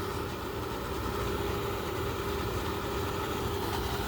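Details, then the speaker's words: BougeRV portable air conditioner powered by a BougeRV 1100W power station, blowing cold air: even, steady hum with constant mid-pitched tone and airy fan rush; normal running, though the owner notes it does have a noise. "It feels really cool, the air that's coming out. So, but it does have a noise to it."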